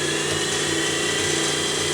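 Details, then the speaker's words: Superabrasives EX50 (Max Engineering) diamond/CBN wheel dresser, grinding wheel spindle at about 50%, roughly 30 Hz, kept low since the used wheel may be imbalanced: even, smooth high whir, no wobble, rumble or rub; runs nice, normal. "That's really flying now. I'm not going to go up real fast because I don't know if that's an imbalanced wheel that came to us used, so I don't want to take the chance on shattering it. But that all runs nice."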